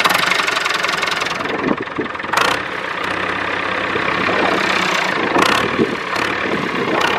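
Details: David Brown 996 diesel tractor, left sitting about 10 years, just started: steady idle clatter with the odd bang and knock from around it, but running evenly; normal idle. Throttle noted as stuck.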